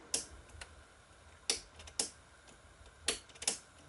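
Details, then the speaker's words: 1000 W GE high-pressure sodium bulb on an undersized 70 W HPS ballast: sharp, irregular ignitor ticks, five strong ones in four seconds with faint ones between. The lamp fails to strike an arc. "as you can tell the 70 wat high pressure sonum Bast is having a very hard time trying to strike an arc in this bulb"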